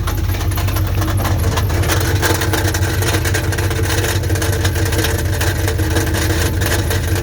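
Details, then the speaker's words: 1984 Dodge Ram Prospector 3/4-ton, 360 ci, automatic, newly reconditioned starter, said to have a blown motor: loud deep idle with uneven rattle about three times a second; stethoscope suggests something loose inside oil pan, starter to be checked first. "but honestly it really does sound like something is rattling around inside that oil pan"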